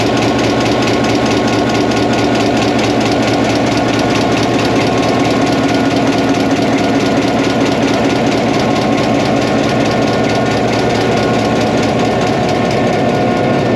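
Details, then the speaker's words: 1949 EMD F7A diesel locomotive first start after three years out of service with a bad main generator bearing, now repaired, valve cover open: deep even chugging idle about two beats per second, no knocks or misses; normal idle. "oh she's running really well started right up everything seems to test out"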